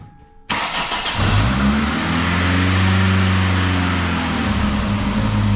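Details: 2000 Ford Contour 2.0 petrol, rough idle under load, after new intake gaskets: starts and idles slightly unevenly with a steady airy hiss over the hum; a vacuum leak remains, with a cracked PCV line and a possibly leaking injector suspected.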